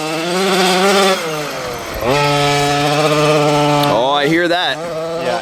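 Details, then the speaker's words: OBR 46cc two-stroke with silenced pipe in an upgraded Losi 5T 1/5-scale truck, on first track run: buzzy revs sag and surge unevenly between throttle blips instead of pulling cleanly. The carburetor needs tuning. "- Yeah it's nice. I love the sound of that pipe, bro. - Could definitely use a bit of a tune if you hear it."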